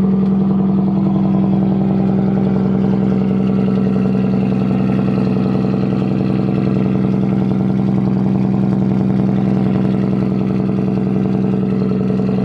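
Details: Nissan S13 engine at start-up, intake air temp reading 20°C: smooth, even idle with a steady firing hum, no ticking, puffing or misses. Vacuum seems good, it is warm enough, and it sounds healthy.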